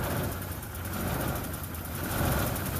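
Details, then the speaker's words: 1994 Isuzu Rodeo at idle, no check engine light: rough idle swells and sags every second or so, oil pressure surging with rpm; suspected running lean, said to stabilize as it runs longer. "so if i go in here and start it it's surging really good there you didn't see the oil pressure surgeon with the rpms and then you can hear it kind of surge in there"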